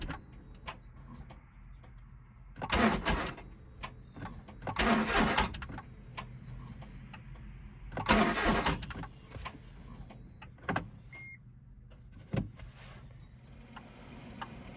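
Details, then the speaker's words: Smart Fortwo, cold after a 15-degree night, battery on charger: three short cranking bursts, each churning and trying to fire but never catching; cold crank no-start from faulty coolant temperature sensor. "got the power turnips a little bit here and you can hear it tries to fire but nothing"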